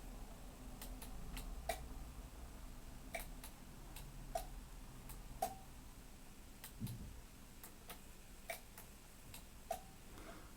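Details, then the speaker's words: 1990s Marantz PM-50 amplifier after replacing the faulty STK 3062 MK IV with an STK 3082 MK III and the power amp transistors, speakers connected, at switch-on: sharp scattered relay clicks over a quiet hum, no buzz or crackle; protection relays engage normally. "yeah the relays just click just fine I think"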